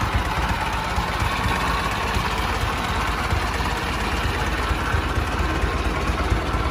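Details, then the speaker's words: 1913 Overland, believed Model 69 touring car, brass era, owned over 40 years: old engine idling with a steady low rumble and even slow pulses, no knocks or ticks, running good; a bit of oil leaking, something needs resealing. "sounds like she's running good i believe she's leaking a bit of oil uh musty something needs to be resealed"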